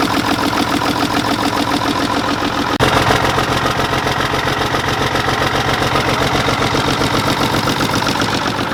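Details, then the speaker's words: 1960s Mack diesel truck idling at its first start after sitting. The idle is lumpy and stumbling; the injection pump is known to need cleaning and the injectors need redoing. "We know the injection pump needs clean, injectors need to be redone, so we're not too worried about it."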